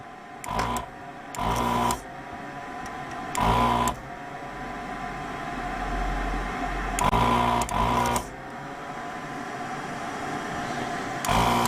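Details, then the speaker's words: Heated desoldering tool's vacuum pump on a Hacker Sovereign RP18 radio amplifier board, short buzzing bursts a few seconds apart over a quiet bench while removing solder: pump running normally. "Just got the desoldering tool heated up, which is all wrapped around my camera."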